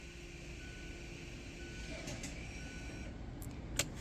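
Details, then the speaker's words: 2017 Mazda3 after front and rear pad and rotor job, leaving electric parking brake service mode (ignition on, accelerator floored, e-brake pulled, ignition cycled): faint steady whir for a couple seconds as rear caliper motors wind; normal motor operation. "Going to turn the ignition off, and then turn the ignition back on. You can hear it winding."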